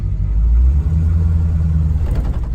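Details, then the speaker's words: 1938/39 Ford two-door hot rod, after years in storage, backing up: low engine rumble with an uneven shuddering throb as the clutch takes up. The chatter smooths out once the clutch is fully out. "so right about here you can hear a little bit of chatter on that clutch"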